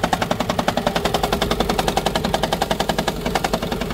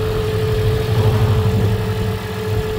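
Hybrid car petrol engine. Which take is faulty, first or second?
first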